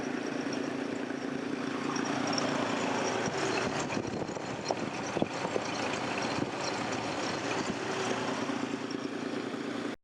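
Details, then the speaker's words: 2002 Nissan Xterra idling: steady, slightly uneven idle with faint puffing rhythm, no knock; exhaust gas blowing back through the open radiator cap, smelling of gasoline, from a blown head gasket; head gasket replacement planned. "me the head gasket is blowing and you can see the exhaust popping back up through this radiator cap here"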